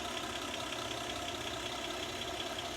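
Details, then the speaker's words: 1947 Dodge pickup abandoned 33 years in a field, running again: steady, even, smooth idle with no knocks or misses, temp gauge steady about 180, almost 40 psi oil pressure, no active drips; healthy normal idle. "What a what a great running engine."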